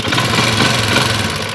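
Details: Motorcycle with a hidden anti-theft switch in a cut wire, switch on: the engine catches and settles into a steady, even idle with a smooth low rumble and no knocks or misses.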